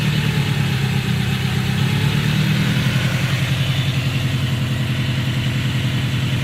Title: Subaru ej20k engine knock